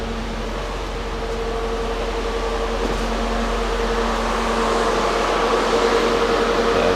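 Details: Mercedes 500E at idle after a maintenance refresh: a steady, even, smooth drone with no knocks, misses or surging. The relay does not click, so an LH module is needed.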